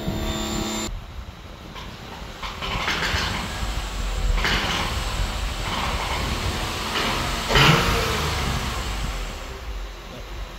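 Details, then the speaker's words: 2006 Acura TL petrol engine, idle fine with a slight misfire: light tick like a knock when revved, which the owner suspected was the tensioner. "all right so there you guys heard the knock it's a to me it's more like a tick not really a knock"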